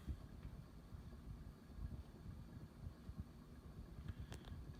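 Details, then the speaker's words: Late-1970s/early-1980s SMC A52 52-inch ceiling fan with cane blades at medium speed: a soft, steady low whoosh with a slight hum and no knocks, ticks or rubbing. Running normally, with slight wobble. "great performance has a bit of a hum to it but it's not really obnoxious or anything you can't really hear it unless you're really looking for it excuse me this is like a medium speed on a regular ceiling fan"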